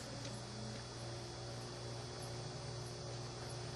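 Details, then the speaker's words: Wine Enthusiast wine cooler found in a dumpster, repaired at its 5A fuse on the control board; temperature set down, steady low hum with faint high whine, even and unbroken; normal compressor running. "I'm going to drop the temperature down and just let you listen to it fire"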